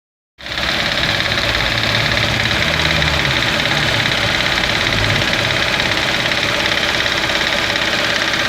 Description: no se sabe de qe o donde es el ruido ...el motor no falla ,enciende bien ,regula ralenti bien ...